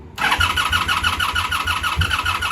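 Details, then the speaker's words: 1984 Honda V65 Sabre VF1100S, sat outside a couple of months, cold start on a charged battery after an earlier cranking attempt killed it: steady pulsing starter whirr until the engine catches and fires. Long cranking, hard start. "I just tried cranking it and it killed the battery eventually usually once you get that gas worked up"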